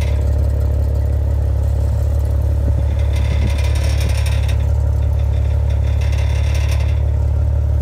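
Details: 2015 Maserati Ghibli, sound at the exhaust pipes: deep steady engine drone with light, irregular clacking rattle about three times a second; exhaust rattle.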